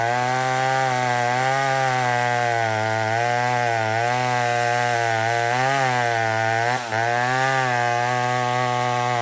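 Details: Old McCulloch 1-71 chainsaw with 3/8 chain cutting wood after a major carb upgrade: intake double-gasketed. High strong two-stroke scream holds pitch while cutting, dipping only slightly under load. Normal running under load.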